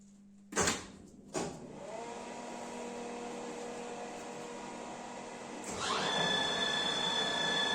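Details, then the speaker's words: Microweily TY2500 lathe, new, motor on a VFD: two sharp clunks, then the motor spins up to a steady high whine with a thin squealing tone; normal VFD motor noise, which can almost scream at some frequencies. "When you change the frequency, the motor will change sound, and at some RPMs it will start to almost scream or make a very, very high frequency sound."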